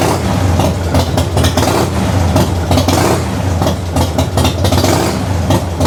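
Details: 1994 Harley-Davidson FLSTN Heritage Softail started after a loose compensator nut was fixed, compensator torqued to about 150 ft-lb with red Loctite, new stator and rotor fitted; loping V-twin idle with no primary-side clatter or clunk.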